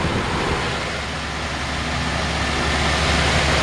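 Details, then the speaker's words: 1951 Ford F1 engine at idle, just adjusted and slightly high: steady, even, very quiet smooth hum with no knocks or ticks; normal healthy idle. "this is one of the quietest engines it's so quiet and it's clean"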